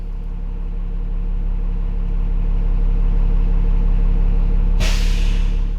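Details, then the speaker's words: School bus diesel during pre-trip air check: after building air at 1500 rpm to 110 psi, engine reduced to normal idle; steady low idle then a sharp burst of air hiss as the governor cuts out the compressor, as normal. "I'm at 110 reduce the normal idle and listen for the governor to shut the compressor"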